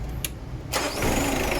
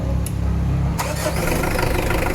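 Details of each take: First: Mitsubishi Adventure after replacing and cleaning the carbon brush to cure hard starting: a brief starter crank, then the engine catches within a second and settles into a steady idle. Voltage drop during starting is okay; normal start. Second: Mitsubishi Adventure with hard starting despite a 2-week-old battery and a cleaned starter and ground. The engine catches after a cranking burst and runs unevenly; charging is present but rises slowly. Hard start traced to weak charging from a worn alternator carbon brush.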